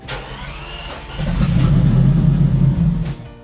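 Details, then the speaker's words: Bentley Continental GT, unstarted since 2017 and sat three years in a field: starter cranks, engine suddenly catches and revs roughly about two seconds, then sags and dies as revs drop; won't run at low revs, heavy petrol fumes. "I mean, I mean, it still doesn't start and it doesn't work on low revs, but I mean, look, look at this."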